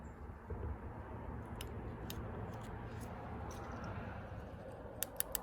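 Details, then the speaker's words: Sharp, crisp ticks over a low shop rumble from a G3 Hemi fuel injector clicking normally when powered by a battery and switch; engine sat about 6 months. "so I'm testing the fuel injectors and this this engine's been sitting for about 6 months but if you can hear the The Click"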